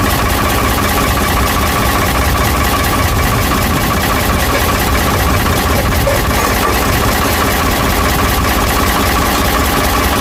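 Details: Ford 555 backhoe diesel after head reinstall and reassembly, with the injection system bled: loud, steady idle clatter, even and unchanging, with no knocks or misses. The engine is running healthy.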